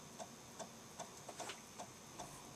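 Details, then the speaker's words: Dragon 32 with Tandy CoCo disk cartridge running DSKINIT to format a disk with known bad sectors: crisp, evenly spaced ticks about two and a half per second over a quiet whir; drive stepping normally while formatting. "we type b sk i and i t which is disk in it press Enter and then as we see hopefully you can hear that the disk drive is chugging away"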